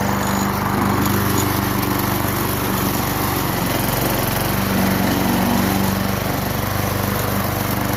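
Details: Craftsman 22-inch mower, 5.5 hp Tecumseh, sat about 10 years, after carburetor cleaned (worn bowl gasket, plugged bowl-nut jet), primed and started: steady, even single-cylinder drone at constant speed, no misses, surging or knocks; running cleanly.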